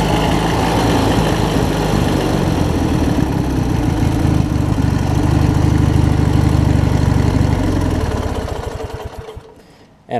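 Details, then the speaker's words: Craftsman mower with Briggs opposed-twin engine and 4-screw Nikki carb, low-side jet cleaned, running fairly steady with gentle rise and fall in speed then shut off; mild surging remaining, owner attributes it to spark plug gap. "I'm not having any issues at all with it surging as you can hear that most of the surging is coming from actually the way that I got the plugs gap"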